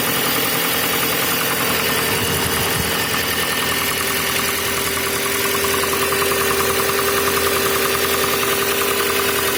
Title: Passat b5 стук двигателя на холодную